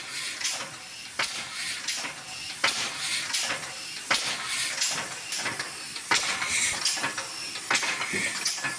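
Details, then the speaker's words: Old rusty air-powered locomotive "Tornado", unused over a year, after a fitting was replaced but with another leak still dropping pressure. Slow, uneven hissing puffs about forty a minute with constant air hiss; weak, slow running from an air leak. "we replaced another fitting but there was still a leak somewhere else because the pressure was dropping quickly the old girl is breathing again how exciting quite"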